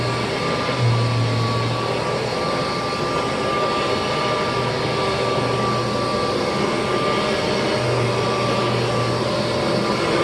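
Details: 1988 Kirby Heritage II Legend vacuum's formal test run after refurbishment with new bearings, brushroll spinning. Steady, even rushing roar with a constant faint whine and no rattles or scraping; motor and fan run healthy.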